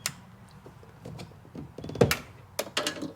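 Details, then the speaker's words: Sea-Doo after cleaning green corrosion from tether connector (previously error beeps, code 1200): short mechanical clicks and clunks in bursts as the exhaust valve actuates and releases normally, no code now. "yeah and then the valve released again just now so that could be all the problem is on this machine"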